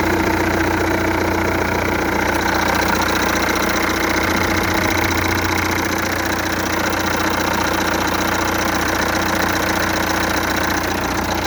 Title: 2.0 TDI CAGA Knocking sounds